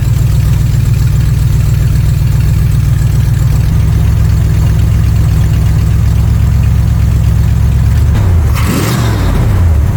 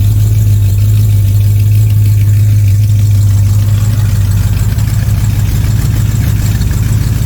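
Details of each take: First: 1979 Corvette C3 small-block V8 with a newly installed Holley Street Demon 625 CFM carburetor, warming up, idle unadjusted and dead on: steady low even idle with a smooth rise and fall when revved, starting quickly and running smoothly; normal idle and revving. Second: 1979 Corvette C3 just fitted with a Holley Street Demon 625 CFM carburetor: deep V8 idle with a fast, uneven puffing tick; exhaust leak where the manifolds meet the side pipes, needs a new pipe.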